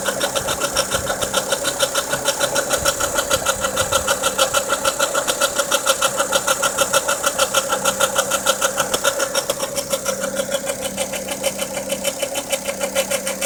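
Steady fast ticking, about three per second, rides over an even idle; a new noise since the belt job, cause still unknown.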